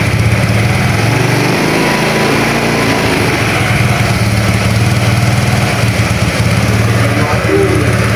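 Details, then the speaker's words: Honda Vario 110 scooter with battery suspected of not holding charge (charging confirmed present), kick-started and warming up for 10–15 minutes; constant buzzy single-cylinder idle at a steady pace without misses or knocks; normal idle. "Oke, kita panaskan dulu ya sekitar 10 sampai 15 menitan, Bosku ya."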